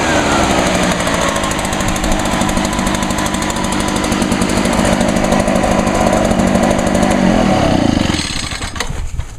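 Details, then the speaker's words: 2011 Echo PB500T two-stroke blower cold-started on choke with primes in very cold weather: fires right up and settles into a fast, even buzz without stumbling, then shuts down; normal cold start. "Wow, that one sure started up pretty good. And it's really cold outside."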